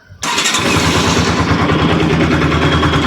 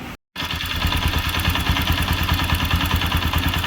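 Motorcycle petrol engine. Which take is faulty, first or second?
second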